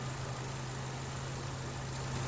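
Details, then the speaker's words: 2012 Chevrolet Cruze idling smoothly and evenly after a new ignition coil was installed, with no misfire stumble; it was diagnosed for rough idle, flashing check engine light and traction control light; normal idle. "oh this is the engine running with the new coil installed"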